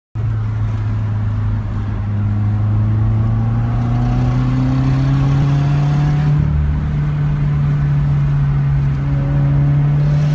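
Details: 2017 Subaru WRX, stock except axle-back, second occurrence: low drone rising under acceleration with faint rapid ticking puff; missing/snapped nut at exhaust manifold causing boost and exhaust leak; exhaust manifold leak.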